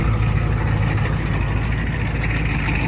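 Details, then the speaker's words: 1987 Ford F-350 diesel after sitting 8 months, started with ether; wiring issues noted. Heavy, deep idle holding steady with an even low chug and no misses: normal diesel idle. "It runs. It can fire up on its own without being boosted."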